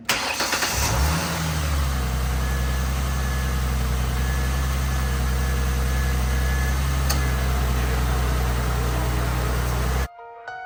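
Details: 2006 Ford Mustang V6 after harmonic balancer replacement, belt reused: catches after brief crank and settles into smooth steady idle, no belt squeal or knocking; normal idle.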